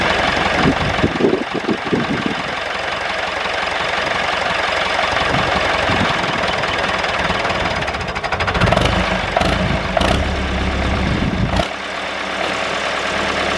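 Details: David Brown 996 diesel tractor, sitting about 10 years, restarted: steady idle clatter, a little uneven around eight seconds, then it settles; normal diesel idle.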